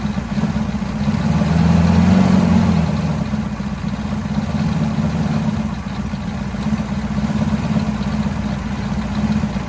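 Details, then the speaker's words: 1983 Chevrolet squarebody 6.2 IDI diesel, first run in years after bleeding air, original injection pump: low clatter surging and sagging unevenly, a little smoky, dies when throttle released, good oil pressure; rough running. "she's a runner it's exciting and we did not have to put a pump in yet so as soon as I let off the throttle it obviously died but had good oil pressure"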